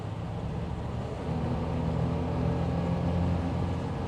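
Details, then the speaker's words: 1971 Cadillac DeVille test drive at 60 mph uphill under heavy throttle after new flexplate, shimmed new starter and reinstalled transmission: deep droning hum, vibration felt throughout car; drivetrain vibration under load persists, source not yet found. "oh that's just awful I can hear it I can feel it in my butt I can feel it in my foot and I can hear it anyway it's still there"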